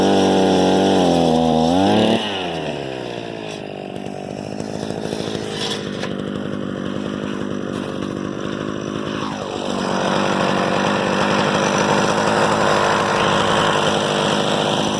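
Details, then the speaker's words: Harbor Freight 67414 two-stroke ice auger, about eight or nine years old, after bolting on a replacement aftermarket carburetor, started with a drill: drops from a rev to a steady idle, then picks up smoothly without stumbling; it starts, idles and runs fine. "I was just shocked because it started right up it idles it runs fine"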